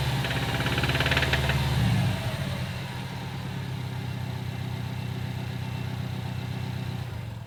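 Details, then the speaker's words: Subaru STI that knocks a few times at start-up, then a fast, uneven ticking knock at idle, three to four beats a second; owner later finds the up-pipe heat shield cracked all the way round and suspects it. "I noticed that my up pipe heat shield was cracked all the way around, and it makes a lot of noise. So I think that's our issue, which is unfortunate because we got the whole car taken apart."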